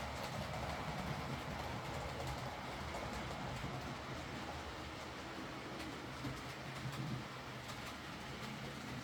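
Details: Hornby R2959 Thompson L1 2-6-4T in BR apple green, running on the layout after greasing the worm gear: soft, even motor purr with rail clicks about four a second, no grinding. Earlier forward grinding came from the double gear lifting against the worm through gearbox play; now normal running.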